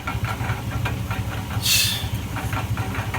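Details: 2004 GMC Sierra 1500 4.8 V8 idling with a steady knock about three a second, sounding like rod bearings; the engine internals were fine, the cause was a broken catalytic converter.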